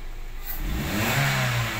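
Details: Toyota Avanza after replacing the suspected failing electric fuel pump, revving from its normal 700 rpm idle (before, it felt held back with very low rpm): the engine climbs smoothly and steadily without hesitation or bogging; normal revving.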